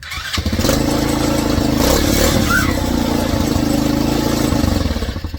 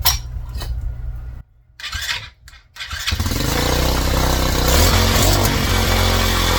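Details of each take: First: Old Tao Cheetah kids 125 ATV running again after a bad stator was replaced, before fitting a new PZ22 carb in place of the VM20: catches and settles into a steady, even putter with no misfire or stumble. Runs normally. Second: Old Tao Cheetah kids 125 ATV with a PZ22 carb swapped in for a VM20, first jetting run: fires after a few tries, then rising revs with a slightly ragged, uneven pull. Lean in the mid-range; needle clip to be dropped one position.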